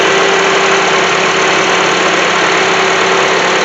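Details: 2007 Honda CR-V running: steady mid-pitched whine over hissy engine under electrical load; bad alternator not charging, about 13.7 V, only 12.23 V with load; alternator to be replaced.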